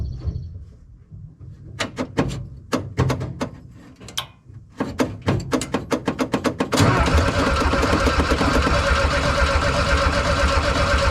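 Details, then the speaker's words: 1968 VW Bay Window bus, air-cooled motor refreshed and reinstalled, fuel tank cleaned, first start: a few cranking bursts, then it catches and settles to a steady, even clatter with no misses; carburetor set up nicely. "that means that carburetor's set up nicely it's all ready to idle"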